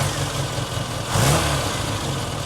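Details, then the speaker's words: Barn-find Austin Maestro cranking test on a battery tester after a new, well-charged battery was fitted. Brief quick crank, then the engine catches promptly into a steady idle: a healthy battery, strong starter and clean start. "so what that has told us there is the time it took for the actual engine to crank over and start and the voltage the battery dropped down to while it's cranking"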